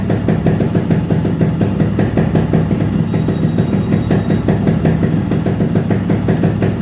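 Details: Restored Yamaha RX two-stroke, full engine rebuild and repaint on customer's bike: crisp regular popping at idle, picks up cleanly with throttle, no rattle or misfire; healthy.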